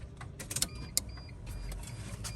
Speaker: This relay should click. That is a intank fuel pump coming on.